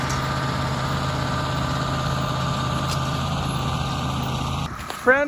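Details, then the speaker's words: Massey Ferguson 1800 diesel pulling a 13-shank chisel plow in low range, overdrive, third gear: deep, steady drone that holds even under heavy draft with no knocks or misses; engine pulling strong and healthy. "that old girl's doing everything I could ask for it to do listen to that thing purr man I just love it"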